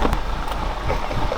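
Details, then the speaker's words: Car exhaust heard with hand near tailpipe, check engine light on, oil burning from valve cover: deep hollow canned thump with uneven stumbling pulses; misfire, owner hopes just a coil, cylinder not yet scanned. "this car is misfiring like crazy as well it's pretty funny you put your hand near the exhaust and it's just sounds almost cam"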